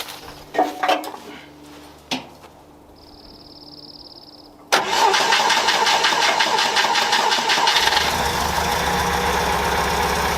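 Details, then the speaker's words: 1964 International Scout 80 after curing grounding problems and fitting a low-pressure electric fuel pump: starts on first try, settles into steady, even idle through Sonic muffler exhaust, no misses or surging. Normal idle. "So we have cured the grounding system, and we've got fuel delivery now through an electric fuel pump. And as you can hear, it runs like a top. It runs unbelievably good."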